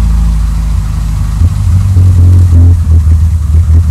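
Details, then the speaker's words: Cold petrol engine after tachometric relay repair, running on choke: idle is high but fairly steady, first real idle achieved though not yet perfect. "Elle est froide là, mais vous voyez déjà, je commence à avoir quelque chose qui ressemble à un ralenti. Bon, c'est pas encore parfait, hein."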